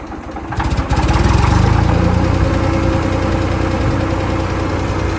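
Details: Ford 2600 tractor started after a valve adjustment, freed stuck valve: settles into a steady chugging idle with light tapping under the valve cover, much quieter than before. Normal idle for this noisy engine.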